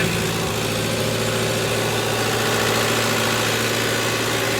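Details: Tractor abandoned for three years, after fuel system work: a steady, even diesel clatter with a constant low drone, no misses or surging. Normal idle.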